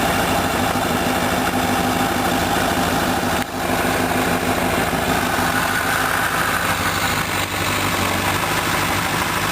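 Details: 2006 Honda CBR1000RR, about 8,500-mile engine, warm at 80 °C or above, idling standing still: a dull, uneven knock of roughly three a second appears as the clutch is gently released to the take-up point; cause unknown.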